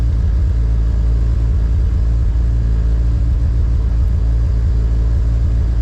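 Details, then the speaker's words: K24-swapped Honda EG on K Pro, first start-up, cold and with no idle air control valve fitted: loud, low uneven rumble with the idle wavering rather than settling; it cannot hold idle on its own. "It was trying to hold up on its own, but this car is cold and it doesn't have an idle air control valve."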